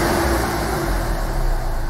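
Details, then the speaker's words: Hyundai i20 1.1 CRDI diesel (about 70 hp) after repair of a knocking seized engine, fuel system bled, injectors still adapting, run up to temperature: even steady diesel clatter at idle, no knocks or misses; engine idling smoothly. "pojazd już sobie ładnie pracuje"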